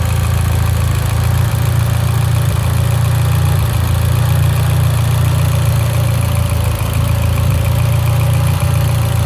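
Heavy low idle with an uneven, stumbling beat of roughly three and a half pulses a second; misfiring at idle, cause unconfirmed.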